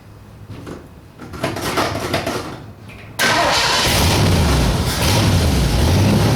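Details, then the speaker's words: 1960 Ford F100 with a 472 Cadillac V8, just fitted with new plugs and dwell being set: the engine catches and runs with a fast, rough puffing tick over its low rumble from an exhaust leak. "You hear that exhaust leak."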